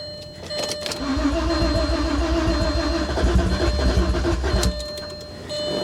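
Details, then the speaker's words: Audi A6 Avant Quattro, 120,000 miles, timing belt replaced at 90,000 miles, on booster pack: long uneven cranking with ragged loud firing trying to catch, exhaust loud as if cats cut off; hard start, eventually runs poorly, cause unclear. "it sounds like it's trying to run i'm gonna cycle the key a few times i'm going to kill my booster pack"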